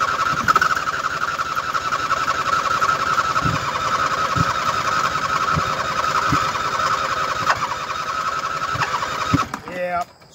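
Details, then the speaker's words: 2007 Husqvarna YTH2454 riding mower after a hose-down, deck belt removed: starter whirs steadily with slow, uneven low thumps, turns over but never catches; starter already warm; owner suspects it got too wet and should dry, unconfirmed. "i don't want to burn the starter up maybe i should let it dry but i don't know i got her pretty wet"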